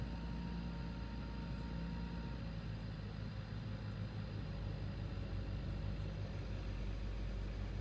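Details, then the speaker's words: BMW E61 with N54/N55 engine, after high-pressure fuel pump replacement cleared codes 2B2C and 29F2 and rough running: low steady rumble holding even idle, no stumbling or hunting; healthy after repair. "so I started the car for like probably three four times uh no cods for the high pressure fuel pump or whatever starts a lot faster now as you can hear it"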